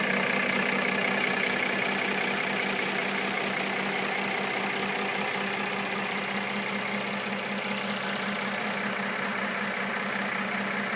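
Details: 2013 Mercedes E350 W engine at idle: light, steady knock about two and a half times a second over a hissy background; cause unknown.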